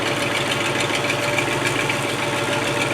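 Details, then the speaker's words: Land Rover 110 V8 at idle: loud raspy puffing and ticking, harsh and open-sounding. Exhaust leak from a Y pipe busted wide open on one side; replacement seemingly on back order. "The Y pipe is busted wide open on this side, so that part seemed to be on back order."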